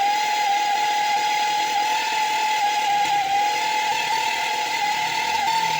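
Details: 1.4 TSI engine: loud, steady high whistle over the idle, holding its pitch, then revved; badly worn turbocharger whistle, too far gone to drive.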